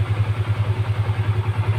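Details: Honda CB150 FI whose starter wouldn't work despite a new battery and good relay, motor and button; the fault was in the neutral switch circuit, and it now idles with a steady, even low thump about seven beats a second, a normal idle.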